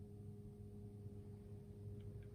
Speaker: like this so it's like there's a really weird buzzing it's not plugged into the charger by the way I don't know what that buzzing noise is but it's quite weird it sort of sounds like a washing machine starting up which is odd